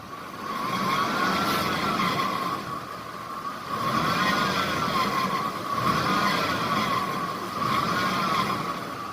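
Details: Ford power steering pump whine near 1 kHz at idle, bending in pitch as the wheel turns; a limited-slip diff friction modifier additive did not quiet it, though steering became easier.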